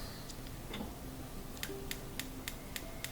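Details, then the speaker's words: Capital gas range, front left burner: after cleaning the burner and igniter, thin faint igniter ticks at about three or four a second with no spark. A ground problem is ruled out and a failing spark module is suspected. "but when I try it same thing just to really faint sound no spark at all"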